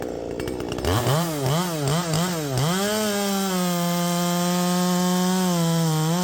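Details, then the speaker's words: Poulan Pro 5020 chainsaw cutting deep in wood at full throttle: two-stroke revs dip and cut out several times then recover to a steady high drone, as if running out of fuel; cause unclear. "it's exactly like it's running out of fuel so you know we're getting all down into the cut and stuff and then right here you hear it cutting out I'm not letting off"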